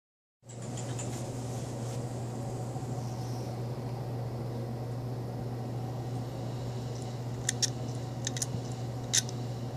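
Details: WD hard drive, not detected, with its board swapped for one carrying old firmware: steady low hum with sharp, isolated clicks in small bursts; owner unsure of the cause.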